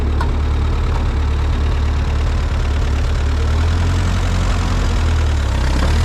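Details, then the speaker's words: Ford 8N tractor with a miss, suspected to come from an intake leak; low, lumpy idle with uneven thumps about once a second and no steady beat; rough idle. "still doesn't want to idle too well"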